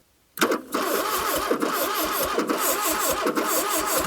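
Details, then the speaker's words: 1982 Plymouth TC3 (Horizon) not run in 32 years, cranking: uneven, lopsided starter beat with hiss on some strokes, never catching; air coming back out of the carburetor, owner suspects a stuck intake valve; uneven cranking. "I can hear I think we have an intake valve stuck"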